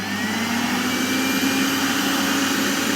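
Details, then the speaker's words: Miele Revolution 5000 vacuum after repair, brush roller on: steady high motor whine with a smooth even hum, no surging or rattle. Working perfectly; the relay click is audible when the roller switches on. "So I can make one really good hose out of these two. And I've got a perfectly functioning vacuum."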